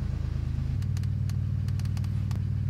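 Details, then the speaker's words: BMW 335i after MSD80 DME MOSFET replacement for 30BB fault: deep uneven lumpy idle, still misfiring, codes for cylinders 4, 5 and 6, running on three cylinders, possible DME internal fault. "all right it's definitely definitely still misfiring let's go ahead and check the codes and see what's going on"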